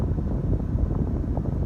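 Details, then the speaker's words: Foton Tunland 4x4 double cab, 2.8 Cummins ISF diesel, engine running, aircon off, cabin blower on speed 2: low steady whooshing with soft huffing pulse, no squeal or rattle; normal blower operation. "Let me just blow the normal fan. It can now. I'm not sure if you can hear the huffing sound. That's the 2."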